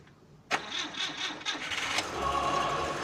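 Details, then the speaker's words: 1979 car with distributor and coil ignition, after the coil-pin improvement and unused for two months with dried carburetor fuel: several cranking bursts, starting on the seventh attempt versus 10–15 before, then settling into a steady idle. "yes the seventh was the lucky one and as I said it's two months without this uh without running uh all the fuel in the carburetor has uh dried up and uh of course it needed a couple more turns to start"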